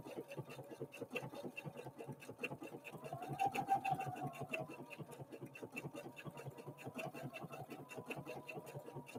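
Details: Husqvarna Viking Opal 650 sewing machine (Swedish design, Chinese made) sewing block-letter alphabet lettering; quick even stitching patter at about three stitches a second, solid, not clanky, tinny or plasticky: normal sewing operation.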